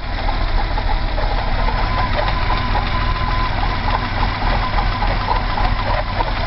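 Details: BMW 320i E30 M20B20, cold engine, noise began after about 100 m of driving and did not fade: deep uneven loping idle with a faint thin squeak on top; rough idle, cause not yet found.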